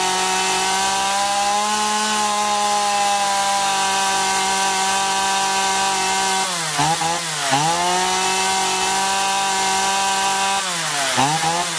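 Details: Chainsaw after carburettor cleaning (had surged and lost power even unloaded), both L and H screws set fully in then out 1.5 turns: holds clean, steady high rev, smooth dips and quick recovery cutting wood, no bogging; running healthy.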